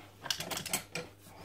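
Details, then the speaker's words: Magpro magnetic drill: magnets work but motor won't start; a few sharp switch clicks over a faint low hum, no spin-up, because a brush spring has failed and no longer presses the brush against the armature. "You can hear the switch clicking on. Problem there. Spring's gone in the brush. No tension on it. It's not pushing the brush against the armature."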